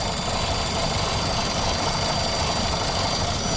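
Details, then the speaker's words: 2014 Nissan Altima, warm engine, center of three variable valve timing solenoids suspected (engine had stalled before), transmission not thought at fault, under hood: uneven lumpy shaky idle; rough idle, cause suspected, not confirmed. "I want to see if disconnecting it possibly changes anything cuz right now it's lumpy and rough and everything else"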